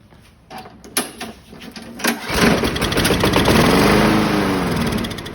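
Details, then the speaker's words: Craftsman 917.37651 self-propelled mower, B&S 6.75 Quantum primer engine with new HIPA 01-3664 carburetor, on a cold ~30°F day: pulls and sputters, catches on sprayed carb cleaner as manual prime, revs briefly then dies; fuel present in the carb bowl. "That's not good. So I'll continue to work on this. All I needed was a little help with some carb spray and spray."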